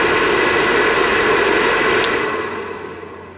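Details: Vivosun 6-inch 390 CFM inline fan blowing unducted: loud steady jet-like rushing air, then fades away smoothly with no rattle or scrape; ducting and filter expected to quiet it. Normal airflow noise.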